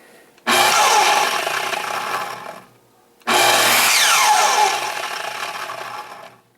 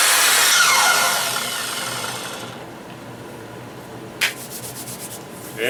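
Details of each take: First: Makita 12-inch miter saw, model LS1220, running unloaded: harsh, gritty roar, then whines down in falling pitch; running rough, suspected bad motor bearing. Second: 12-inch Makita miter saw after a motor bearing rebuild (it ran rough before): bright, even motor whine that winds down smoothly after release, with no rough or scratchy edge; the motor seems to sound as it should.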